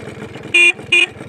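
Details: Used Suzuki Crystal kick-start motorcycle with original parts: two short, loud, steady high-pitched toots over a quiet engine; horn works properly.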